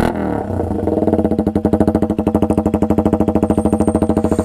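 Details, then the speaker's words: KTM RC125 with Danmoto XG-1 exhaust, unbaffled, at idle: sharp loud single-cylinder pops about three per second, even and steady; healthy but very loud idle. "It now growls. It is a very angry bike now."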